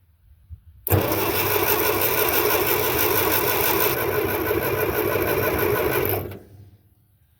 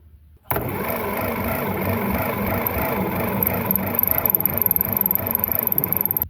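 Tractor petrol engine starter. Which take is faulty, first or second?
second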